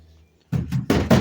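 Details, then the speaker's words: 1965 Ford Mustang unibody: hollow thunks with loose tinny clatter as rear panel is pushed; replaced quarter panel not attached to wheelhouse and cheap metal rear pan rattle — poorly fastened body panels from a botched repair. "I'm just barely, you can hear this car rattle."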